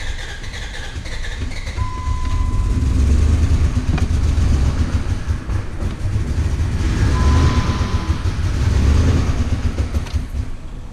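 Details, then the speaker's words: 4.7 HO V8 in a Dodge Ram 1500 after the timing jumped: a rough, lumpy low knocking that swells and worsens. A couple of cylinders appear dead, with no oil pressure even after a new sending unit; engine considered junk. "oh it's running so rough oh there's a couple dead cylinders starting to sound noisy"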